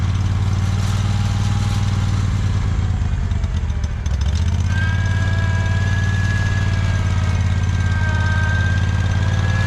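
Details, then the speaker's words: Free John Deere 317 lawn tractor, repowered with Kohler Command 18 hp engine, sat many years: idle loping and uneven, smooths at higher throttle; rough idle, owner suspects old gas, unconfirmed. "it doesn't idle very well but seems like when you run the throttle up then it's fine probably running some of that old gas out of there"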